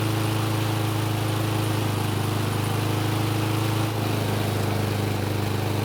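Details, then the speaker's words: Unmaintained Toro mower after valve clearance adjustment (intake was too tight): small single running uneven and lumpy, beat wavering and dropping, engine speed unresponsive; went from normal to bad in seconds due to a loose rocker stud. "so unfortunately while it was running and i was moving the camera to a different position it started to run badly it only took a few seconds to go from sounding normal to whatever that was"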